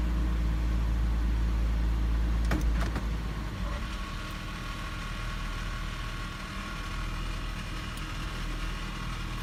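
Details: 2006 Toyota 4Runner SR5, 4.0L V6 2WD, idling in drive: low buzzy rattle of about four pulses a second after a clunk into gear. It goes away in park, reverse or neutral and grows louder with the wheel slightly turned.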